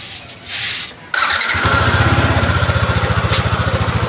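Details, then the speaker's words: Yamaha NMAX (79,000+ km) after engine teardown: starter whirs, fires and settles into an even, steady idle, previous gravel-grinding gone; engine runs healthy. "Tahimik na siya. Hindi na siya maingay kagaya nung nakaraang araw, no, na alam mo may ginigiling na graba sa loob, no."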